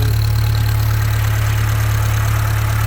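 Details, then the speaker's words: Rebuilt Atomic 4 marine engine, reassembled with proper gaskets after a previous mastic-only assembly, on test run with a little choke and a race deck muffler: low, steady idle with an even pulse of about four beats a second, no knocks or misfires; running smoothly. "got this race deck muffler on her so kind of keeps your noise down in the neighborhood and you can also hear how smooth that is just really smooth"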